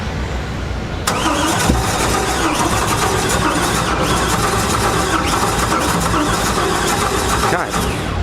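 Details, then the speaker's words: Mid-engine LS-powered widebody '67 Mustang on an SLC chassis (built from a Bugatti replica), first start attempt in neutral: the starter drags the engine slowly, about three heavy beats a second, fighting compression without catching. The team suspects the timing is off. "Okay, it sounds like the timing's off. It does sound like the timing's off. Like it's fighting through compression."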